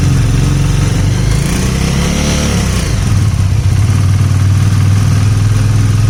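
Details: 2019 Dominar single-cylinder motorcycle idling with light, uneven ticking over its thump after a throttle blip; engine head replaced under warranty, some ticking remained and is described as normal by design.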